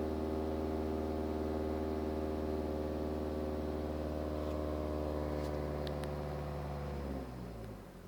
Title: BMW 318d E91 2010 a strange humming sound above 2000 rpm